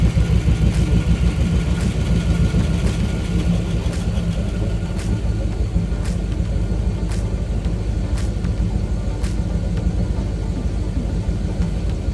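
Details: 2002 MasterCraft boat, Indmar 5.7 litre V8, after replacing oil pump driveshaft that caused total oil pressure loss; steady even low rumble, no knock or rattle, partly masked by music; oil pressure restored, normal running.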